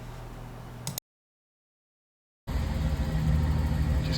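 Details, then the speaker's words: Datsun 280ZX after about four weeks at a mechanic: steady low engine rumble at idle with an even beat, no obvious stumbles, missing much less than before; healthy idle. "Just got her done. Actually, isn't missing as much. Sounds good. I don't know if you can hear that. Engine sounds good."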